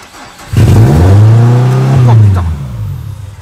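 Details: Peugeot 206 S16 (January 2003) after intake plenum swap with universal throttle body, air conditioning disabled: engine catches with a sudden rev flare, sags and dies within two seconds; hard start.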